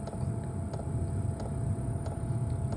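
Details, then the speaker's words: DWALE Chinese diesel heater at Bluetooth startup: soft sharp fuel pump ticks about every two-thirds of a second over low hum, very quiet; pump clicking normally as exhaust begins and heater warms up. "Now I don't know if you can hear it. I'm going to try and get up close, but the fuel pump just started clicking."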